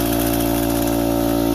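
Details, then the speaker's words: Central Pneumatic (Harbor Freight) air compressor before top-end rebuild: steady even pumping drone running a long time, struggling past 30 psi and barely reaching 40; worn valve plate. "As you can see, it's been on for quite a long time and it's having trouble barely getting past 40 pounds. You hear that noise? That's all it does. So what it does is it struggles to go up past 30 psi."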